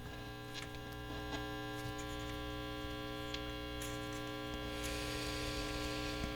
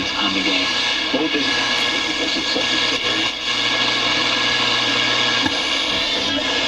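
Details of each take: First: 1960s General Electric dual-speaker long-range radio receiver, barn find, at full volume: only steady low mains hum with buzzy overtones and faint crackle, pitch changing with tone control, no reception; open transformer winding. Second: 1960s General Electric dual-speaker long-range radio receiver, a barn find under restoration, with a crude clip-wire antenna wound on the rod antenna: voice and music come through clearly with light hiss; normal reception.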